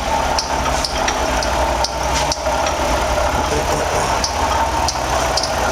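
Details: 2007 Toyota RAV4 V6 at idle: a faint steady whine with light ticks. Pinkish coolant is leaking around the engine block and pulley, and a bad water pump is suspected.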